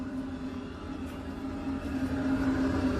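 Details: Semi truck engine coolant heater running on a cold morning, warming the engine (owner's own heater was leaking and needs replacing): steady mid-pitched whir over a soft pulsing rumble, even and unbroken; normal heater operation.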